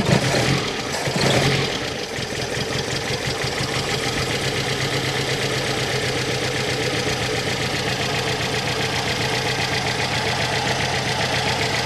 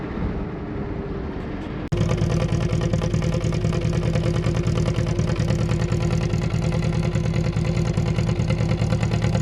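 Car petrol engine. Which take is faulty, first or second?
first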